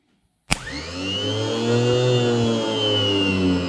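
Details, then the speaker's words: Maxwell 1200 W 12 V anchor winch motor after teardown repair, bench-tested on a 12 V battery: spins up sharply and settles into a steady, even hum with a clean whirr; runs healthy. "that's goes goes like a champion job done"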